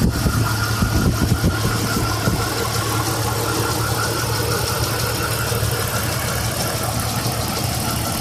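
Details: Jeep XJ 4.0 warm idle, noise newly started after warm-up: light fast ticking over engine hum, steady with engine speed; owner suspects the valves, cause unconfirmed.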